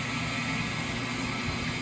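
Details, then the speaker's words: Rotary phase converter's large three-phase induction idler motor, on a temporary test setup, spinning with no load, output and run capacitors not yet connected, drawing about 34 amps: even, steady electrical hum with a faint high whine; running smoothly. "it's drawing 40 34 amps just running doing nothing which is still a lot but it's not 200 amps so the breaker and everything can handle that just fine"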